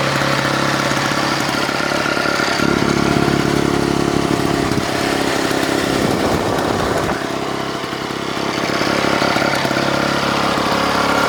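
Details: Vintage Victa two-stroke mower that was hard to start and leaked fuel, after cleaning: busy two-stroke crackle settling into steady run with slight dip and recovery; fires up and keeps running fine.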